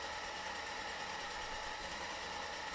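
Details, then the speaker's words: Mercedes-Benz W124 300CE turbo, M103 engine, first start after timing chain, MLS head gasket, water pump, tensioners and serpentine belt; lower compression, mixture adjusted; smooth steady idle, faint belt tones, no knocks or misses; normal. "And what do you know about that? Basically seamless startup."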